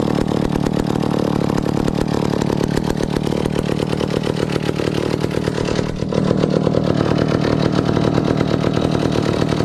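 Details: 1962 McCulloch 1-46 chainsaw, revived after it had no carburetor, fitted with a scavenged old carburetor and intake part: busy, rattly two-stroke buzz holds a steady speed with no bogging or misfire, so it runs fine.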